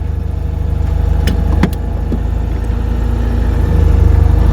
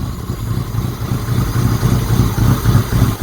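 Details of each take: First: Citroen "Ellie" started after being parked, with fuel having drained back from the carburettor so cranking builds oil pressure first: a steady, even low thrum at about 220 beats a minute with no misses or knocks. Normal idle. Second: Citroen "Giselle" started after sitting, with fuel drained from the carburettor and the airbox off so it sounds noisy: the cold engine hunts and lopes, nearly stalling, as the faulty choke over-chokes, then under-revs.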